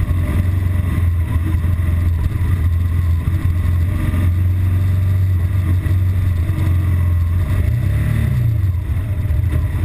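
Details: BMW R1200GS Adventure, intermittent fault appearing in traffic after about 20-mile A-road run: low boxer-twin idle throbs unevenly, then dips and wavers near eight seconds as if about to die; rough idle and stalling, cause not found.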